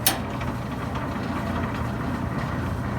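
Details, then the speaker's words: Maytag LDG312 gas dryer after gas valve ignition solenoid coil replacement: steady low rumble with light even burner rush, no clicking or sputter; burner cycling on and off normally, where before it fired once and quit. "we're cycling that's good it's a good good sign and we're about to hit another heat cycle here"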